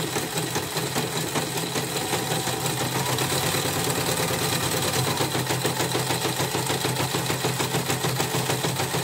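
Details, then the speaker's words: CNY portable embroidery machine with uneven stitching, running: fast even ticking under two beats per second with a scratchy squeak each stroke. It stays rough even with a borrowed new hook shoe (sepatu); the old one is worn loose. Cause unconfirmed. Squeaking hook noise. "Tapi ini sudah dites, sudah mulai ini, nanti saya cek lagi suaranya kasar. Ini saya pinjam sepatu yang baru, masih kasar juga."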